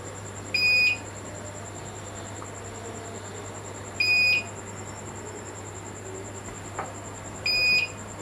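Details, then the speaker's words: UPS that would not hold power, running on its new battery with mains unplugged: short beep about every 3.5 seconds over quiet room hum, battery light on; normal on-battery warning. "Coba kita cabut dulu arus listriknya. Saya cabut ya. Oke. Lampu untuk akinya hidup ya."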